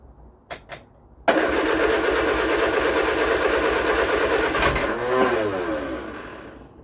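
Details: Vauxhall Viva HC after carburetor rebuild, choke pulled; starter spins the engine steadily for about three seconds but it never catches and winds down: crank, no start.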